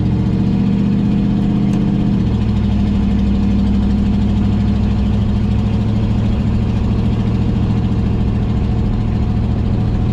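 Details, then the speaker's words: 1955 Buick Roadmaster that sat abandoned over 20 years, on its first road trip, cruising: a loud, raspy, blatting low drone from a bad exhaust leak. Coolant temperature is rising and the car stays in second if left in drive. "That exhaust leak's terrible. I don't know if y'all can hear that or not, but it's a little loud."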